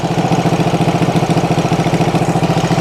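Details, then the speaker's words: 1974 Honda CB360 twin from parts bikes, first start, no tach: fast, steady thumping idle with even pulse and no misses despite ignition timing found way off, right cylinder advanced differently from left; to be adjusted. "how is it running so well with it so far off timing so the number one cylinder oh let's turn it off the left side cylinder is rather um and the left or the right side cylinder is Advanced it's different"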